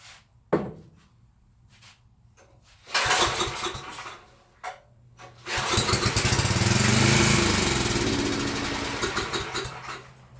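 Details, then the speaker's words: Coleman Powermate 6250 generator, choked, with a shop light plugged in: a few pulls and sputters, then it catches on starting fluid and runs rough and loud for several seconds before dropping off; it does make power. "so I just paid 25 for a running and electricity producing generator"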